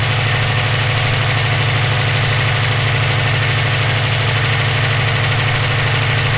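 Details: EJ257 engine knocking at idle for about 17k miles since purchase; rapid, regular light knock under the exhaust drone. Owner suspects rod knock, spun bearing or valve lash needing adjustment; cause not pinned down.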